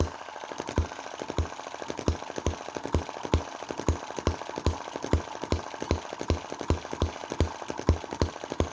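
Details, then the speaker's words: Cheap Chinese M19/EM2 1.6 cc desktop hit-and-miss engine under a light drag: crisp, regular pops at about two and a half per second that hold steady. Normal, strong running under light load. "you know that's really good... i mean this little motor is only 1.6 cc... and it's made for demonstration... cuteness, desktop model running"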